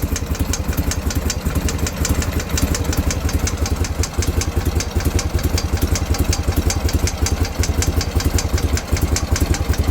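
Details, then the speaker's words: BMW R51/3 classic boxer twin at idle: steady light tick around 160 a minute over even idle, louder on one side; source of tick unknown. "Anybody know what that is? This is the ticking I'm talking about. I hope the camera's picking that up."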